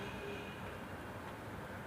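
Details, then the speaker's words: Maruti Suzuki Swift Dzire with intermittent faulty-ECM no-start, cranked when check and security lights come on normally: the rpm needle rises and the engine starts, a steady even hum with no knocks, misses or stumbles; normal running. "यह रुकना चा और यह proper काम कर रहा है needle हल्का उटा और यह अपनी गाड़ी स्टार्ट"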